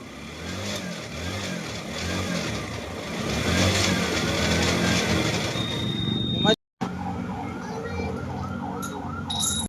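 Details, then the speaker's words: Kawasaki NS160 FI single after crankshaft replacement: minor noise at idle, then a thin tinny rattle over the exhaust when revved; loose metal suspected, later traced to when the magneto flywheel and idle gear are fitted, crankcase suspected. "Umiingay pa rin siya, minor, maganda. Pero pag ipirit mo, parang tunog lata oh."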